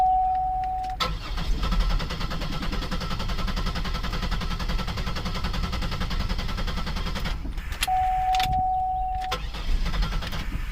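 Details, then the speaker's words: 2002 Buick LeSabre 3.8L, crank no-start, towed in with a completely dead battery, now jumped: steady even starter cranking for several seconds with no firing or catch; engine spins freely but never lights, sounds like no fuel; fuel pump suspected. "see if we get some power in this car yeah now we got a security light now everything wakes up [Music] that sounds like a no fuel"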